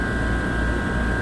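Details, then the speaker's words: Trane communicating outdoor unit (ERR126.00 no-cool call, breaker had tripped) running compressor high stage at 15 A on 240.5 V: steady low hum with an even tone near 1.5 kHz and no knocks or rattles. "All right, so we got compressor high working. Okay, so the unit kicked on. We're at 15 amps."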